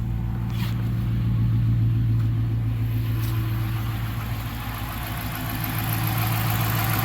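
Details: 5.7L Hemi V8 just fitted with a JTL cold air intake: deep, smooth, even idle with a steady low rumble and no Hemi tick, then a light rev with louder intake sound; no check engine lights.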